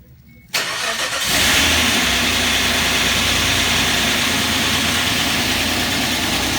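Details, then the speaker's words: Suzuki Grand Vitara H25A V6, first start after engine rebuild: cranks and catches, then idles with light, rapid metallic tapping from hydraulic lifters not yet filled with oil; expected to fade after running. "Значит, немного подстукивают гидрокомпенсаторы. Это из-за того, что они еще пустые, не прокачались маслом."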